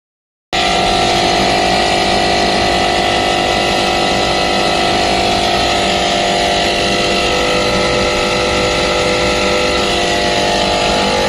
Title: Compresser foulty abnormal sound #hvac #youtubeshorts #hardwork #actechnician #acrepair